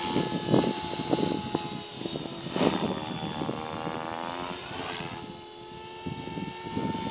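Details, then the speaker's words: Align T-Rex 450 Pro DFC RC helicopter hovering: a whine with a rough, gritty edge that swells as it comes closer. A bad bearing is suspected, source unconfirmed (tail, main or motor; maybe tail). "Came closer, but you can hear the ugly sound from the salmon bearing."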